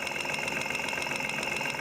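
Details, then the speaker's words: Car engine at steady idle, stethoscope on the fuel injector: crisp, even ticking about eight per second, showing the injector is getting its signal. Normal fuel injector ticking; fuel flow not confirmed. "yep see i can hear it ticking that doesn't mean the fuel is flowing through it but at least it's ticking i know i'm getting a signal to it"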